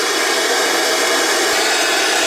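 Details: IXT DVD/TV/radio/karaoke unit, apparently brand new, in TV mode: a steady, even static hiss with no tune or voice underneath; the set is powered and working but has no signal.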